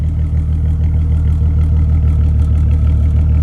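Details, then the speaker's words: VW Mk5 R32 six-cylinder after new spark plugs, fuel pump, intake and fuel-leak fix: smooth even idle with steady low pulse, no misses or exhaust pops; normal idle. "Ooh, that's buttery. No more pops from the exhaust. Everything sounds good up here."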